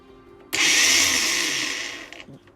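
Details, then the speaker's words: Ryobi One+ R18AG cordless angle grinder, just rebuilt after failing: spins up into a high, rough whir then winds down; owner finds it noisy and suspects the gearbox may need grease, not confirmed. "it sounds a bit noisy to me though so i'm going to uh check the gearbox out see if we need any grease in there"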